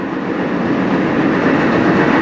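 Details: Dryer after replacing the idler pulley and drum support rollers to cure a squeal: steady even rolling rumble from the turning drum, no squeal or squeak.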